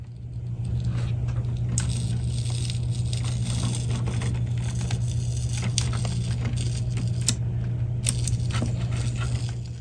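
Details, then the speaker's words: Fisher RS-220 receiver: steady low mains hum with scattered sharp crackles and snaps from arcing inside the power switch. Its spark-suppression (snubber) capacitor has possibly failed. Both the capacitor and the power switch need replacing. "And I can tell you right now that is inside the power switch. So yeah, what really needs to be done is this needs to be replaced, and so does the power switch,"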